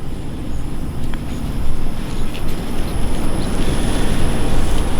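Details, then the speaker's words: Infinity fully variable-speed condensing unit with variable-speed condenser fan, running in stage 1 of 5, recorded up close outdoors: low soft steady hum with gentle fan whoosh, no knocks or rattles; normal, very quiet operation. "So this is a fully variable speed compressor with a variable speed condenser fan. It is super quiet. In fact, it is on right now. It is running in stage 1."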